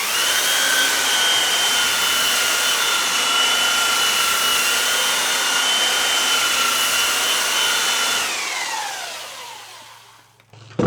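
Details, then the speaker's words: Belt sander with new homemade stainless steel platen, dust bag back on, sanding a clamped 2x4: smooth steady high whine with even belt hiss, pitch falls evenly on spin-down; healthy, platen only warm afterwards. "Got the bag put back on, and I've got a 2x4 clamped down to my workbench here, and I'm gonna try it out and see how it feels."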